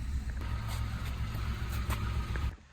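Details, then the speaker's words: Citroen C1/Aygo/107 city car with 105,000 miles, bought cheaply: uneven, lumpy low idle with a stumbling beat that keeps breaking rhythm, engine misfiring. "first things first it's got loads of miles on it 105,000 mil it's also misfiring"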